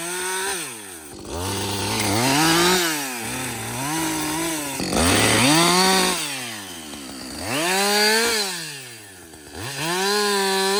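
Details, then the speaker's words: Husqvarna 562XP chainsaw back from the shop after a software reflash for dying when hot and not starting; a two-stroke howl bogs smoothly into each cut and climbs back clean, with no stalling. It runs healthy under load through a full tank. "this is really the First full tank I've run through this thing like without stopping because I've never been able to get it to do it"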